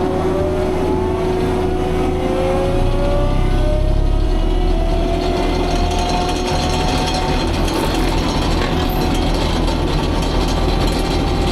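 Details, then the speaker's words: Fecon forestry mulcher after rebuild/overhaul, freshly greased, at a test brush pile: steady engine drone with smooth whine from the spinning drum, no knocks or grinding; normal operation. "But yeah, so the testing of the mulcher went really good. And everything's working the way it's supposed to."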